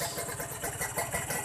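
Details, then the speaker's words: Kawasaki Ninja 150 R two-stroke after carburettor air-screw adjustment, idling with no throttle: quick regular popping beat at a steady rate with no hunting or dying; clean stable idle. "Nah, ini suara stasioner ya, tanpa digas ya teman-teman."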